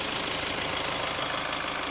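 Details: Hyundai ix35 CRDi 136 hp diesel, hot idle, recorder on the wheel: fast even metallic tapping over the clatter; owner asks hydraulic lifters or chain tensioner; tensioner replaced 1.5 years ago, dealer disassembled twice, found nothing; knock source unconfirmed.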